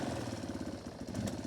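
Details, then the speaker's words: 1993 Yamaha Big Bear 350 ATV: quick, even single-cylinder thumping held above a slow idle when the bars are turned; engine revs rise when steering because the throttle cable is too short. "this uh a C's A Little Too Short when I turn it she revs up a little so that's not great"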